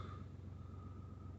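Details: BMW 116d 1.5 diesel (1 Series), idling after roadside replacement of the auxiliary drive belt (6PK 1150): quiet, steady low hum with an even beat and no squeal or chirp from the belt; healthy idle.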